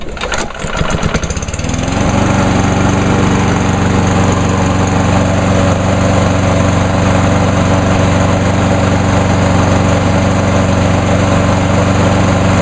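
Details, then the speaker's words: Pull-start mower engine, last run about two hours or more earlier, after VP Small Engine Fix-It fuel circulated through the fuel lines and carburetor: short pull-start, then a smooth, steady low drone with an even beat and no stumbling. "and as you can hear it runs a whole lot better runs just almost as good as the uh 10606"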